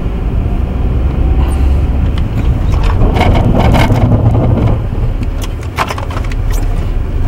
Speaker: that is all normal for ABS brakes and if you're not familiar with ABS brakes and that happens the first time that you're on snow or ice you might find it a bit disconcerting and wonder what's going on but actually it's all normal